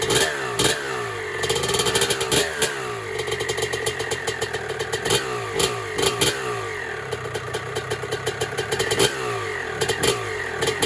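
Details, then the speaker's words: 1996 Honda CR250 two-stroke, first start on a build, pump gas, choke off: crisp crackle with sharp throttle blips, loud from a cracked exhaust pipe; picks up cleanly, healthy. "Actually sounds pretty good. This is the crack in the pipe, so it's a little bit loud maybe from there, and this is totally screwed up."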